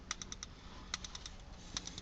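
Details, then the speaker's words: Older Code 3 Deckblaster strobe light (dated 2003) with the left jumper up and the right jumper down, giving sharp clicks in groups of four about every second: the normal quad flash pattern. "Alright, this appears to have put the light into a quad flash pattern. You probably can't see it catching the flashes on video, but I can hear it clicking 4 times."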